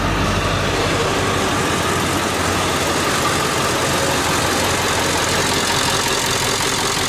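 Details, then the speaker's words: Ford 7.3 Powerstroke diesel after shimming all worn injectors, idling: uneven lumpy beat with a stumble every few firings; cylinder misfire, one injector suspected still not hitting, warming up to recheck. "sound like it still got one injector is not hitting uh like it should we let it warm up and see uh See if that changes"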